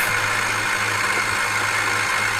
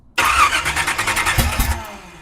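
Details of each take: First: 1976 Chevy Nova drag car, rusted and sitting for years, cranked with the starter hotwired. The starter spins the V8 with an even whirring chug, about three to four beats a second, then winds down. Normal cranking; starter sounds good. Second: 1976 Chevy Nova drag car sitting for years, fuel poured into carburetor bowls, choked: starter cranks about a second and a half with even chugging pulses but engine never catches; cranking dies away, cause not confirmed.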